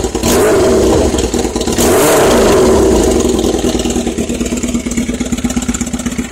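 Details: Kawasaki ZX-7R, first start after being wrecked and unused for 4 years: catches and revs hard, then settles into a lumpy, uneven idle; running rich.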